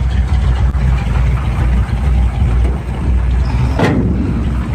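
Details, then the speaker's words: 1971 Chevy pickup V8 with points ignition idling: deep steady rumble, even beat, no misses, knocks or rattles; runs nice and smooth, healthy idle. "Get it open one hand, sorry about that. It runs nice and smooth."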